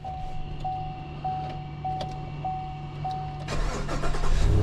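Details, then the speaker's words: 2020 Chevy Silverado that died while driving and had no crank, suspected seized engine, after blown fuses were dealt with and the ECM came back online: steady cranking with a repeating chime, catching at about 3.5 s into an even run; normal start. "the truck starts and runs. That is really, really surprising."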